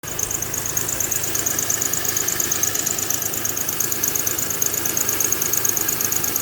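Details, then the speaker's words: 2000 Honda Accord 3.0 V6 at idle: high chirping squeak pulsing about three times a second as the belt tensioner visibly jumps; bad tensioner letting the belt slip, fix is replacing the tensioner. "so so so if you get a a little squeaking noise right here this right here is the tensionometer and uh tensioner whatever you call it but if your noise it sounds similar to this and you can see as every time they jump that's when it spills so you know to replace this"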